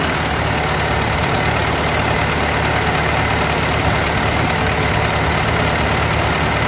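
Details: Ford 8N tractor, warmed up, after governor adjustment and carburetor rebuild: slow even thumping idle, no misses or knocks; idle mixture screw about three quarters turn out, slightly richer than book.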